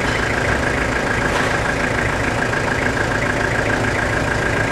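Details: Toyota Hilux SR5 2.8 diesel (2000/01), a thousand km after a full revitalization service: steady, even diesel clatter at idle with an unchanging rhythm and no knocks or misses. Healthy idle.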